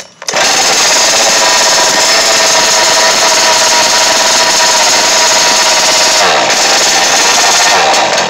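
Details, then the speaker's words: Losi 5ive-T 2.0 with an OVR 34cc V2 reed-case two-stroke and an added pipe: loud high buzzing holds steady, then abruptly dies. The spark plug wire is burnt through, so moving it cuts the spark and stalls the engine. "i hooked this up and realized they burnt the wire right though so that was the problem that's why i couldn't get it started so every time i move this why you're not it you could see it it won't work then it stopped like i can crank it up and it'll sometime in the crank sometimes it won't"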